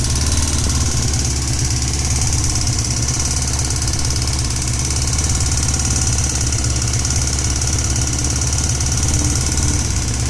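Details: Honda CBX 550 F at idle: even idle with a fast, rattly ticking over the low rumble, noise coming mainly from the right side of the engine (seated on the saddle); source unclear, engine noise at idle.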